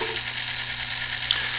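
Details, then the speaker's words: New brand-new Merkle-Korff gearbox auger motor for pellet stove, sealed motor shaft: even quiet whir, steady low hum, no grinding or clicking, quieter than older ones; normal running. "it is a little bit quieter than the older ones I can turn that on you can hear it"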